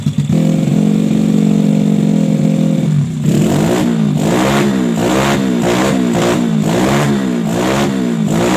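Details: Bore-up Yamaha Jupiter Z with PE 26 carburetor, formerly hesitating on throttle as if fuel-starved, after widening the carb hole: steady idle, repeated clean throttle blips, no stumble or hesitation; fuelling sounds right.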